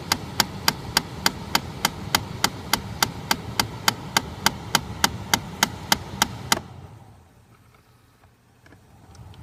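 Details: 2013 Chrysler 200, parked: loud, sharp, evenly spaced clicking about 3–4 per second from behind the glovebox near the cabin air filter, then quiet; happens constantly even when sitting; cause unknown.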